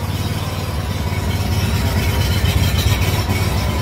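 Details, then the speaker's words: Kawasaki FH580V 19 hp V-twin on Scag Freedom Z mower: idles unevenly, low thrum stumbling and surging even at high idle; better with choke, owner suspects plugged jet from lean carburetor; fixed by replacing carburetor. "So you can hear it doesn't idle smoothly. Even at high idle it doesn't."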